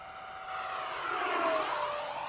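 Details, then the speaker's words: Freewing 70mm F-35 ducted fan jet on 6S 30C 5000mAh pack in flight: high smooth whine swelling and fading on passes, steady pitch without dropouts; normal run, less RPM than high-C packs but less sag, good flight time and speed. "I'm not getting that crazy high RPM, but it still gets the flight time and the speed."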